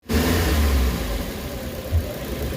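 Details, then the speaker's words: Suzuki Carry with low power, weak on climbs and engine knocking, warmed up, before engine treatment: low, uneven chugging idle with lumpy surges and a deep shake; rough running, cause not confirmed. "Ninginig siya no? Normal nanginginig. Uminit na yan."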